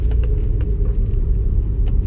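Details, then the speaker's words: Honda S2000 on a test drive, doing slow figure eights in a parking lot: steady low engine rumble with no suspension knocks or clunks, sounding smooth. "so here any on suspension noises any knocking sounds everything sounds pretty smooth"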